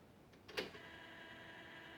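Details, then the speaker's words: JVC DC-33 boombox cassette deck under restoration, cover off: clunk as mechanism engages, then steady even whirr of spooling motor with good torque; normal fast forward operation, though play mode has no play (belt issue suspected). "That's forwarding. That's fast forward."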